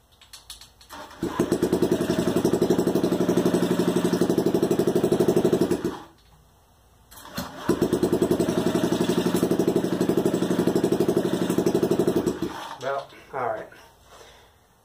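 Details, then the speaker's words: Honda Ruckus project scooter started after unstretching: two bursts of lumpy, uneven single-cylinder puttering, about four beats a second, then dying; rough running, owner suspects bad gas in the carb. "start up one more time make sure everything is together just doesn't sound great but sounds good to me that it runs"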